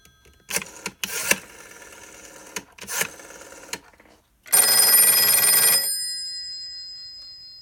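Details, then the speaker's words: Western Electric 302 telephone ringer set to softest setting: short shrill bell bursts, then a thin metallic vibrating buzz fading over about two seconds after ringing stops; long-standing unfixed problem, less pleasing than typical 302s. "So there's some vibrations that you can hear whenever this phone is done ringing. And usually 302s sound much more pleasing to listen to than this one here."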